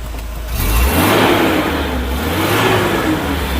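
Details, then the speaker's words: Volvo 740 running after new belts, oil filter, full new exhaust and fuel pump; engine blips and settles to a smooth even run with no knocks or ticks, only a soft fan rush audible. Normal running after repair. "Sounds like a Volvo again where all you can hear is the fan."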